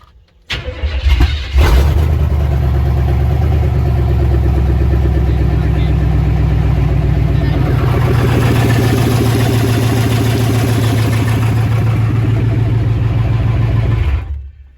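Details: Project race truck, now starting after an unplugged crank sensor was plugged back in: a brief crank, then it catches at once into a steady, even run with no misfire. It may still need transmission fluid.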